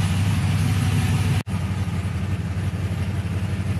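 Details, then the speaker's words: 1999-02 Chevy/GMC NBS truck V8 after an electric fan swap, idling with fan one on and AC on: deep, even burble under steady fan rush, one short dropout; normal idle, cooling fan working, coolant about 196. "okay so it says fan one is on the AC is on it's nice and cool"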